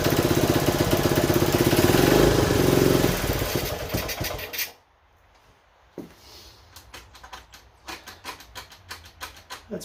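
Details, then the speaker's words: 1970 Honda Trail 90, non-runner said to have overheated, first start: small single thumps about four a second, uneven, then cuts out; choke had to be feathered, owner suspects a clogged pilot jet, debris later found in carburetor. "the pilot jet may or may not have had an instruction there which when it was running it was I had to feather the choke and a lot of times that means that's clogged"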